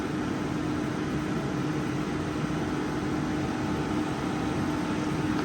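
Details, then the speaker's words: Car electric AC compressor spinning up from about 1,000 to 2,000 rpm as heat load on the evaporator rises with fresh 80°F air; steady mid-pitched whine over even blower rush; running normally. "and you can hear I don't know if you can hear the winding of the compressor winding up like 1,000 RPMs 2,000 RPMs"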